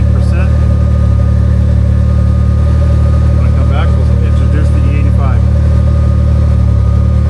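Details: Can-Am Maverick R with Evolution Powersports flex fuel system installed, running while E85 is added to tank of 91 octane (sensor reading rising toward 80%): steady, even low drone with no stumble, surge or misfire; runs smooth.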